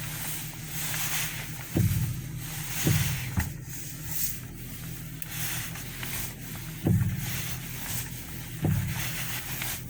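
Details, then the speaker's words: Deep, irregular clunks and pops, one every second or two, when turning the steering wheel, from a bad bearing in the right front strut mount. "This car has a bad strut mount on the right side in the front, and that's how it sounds."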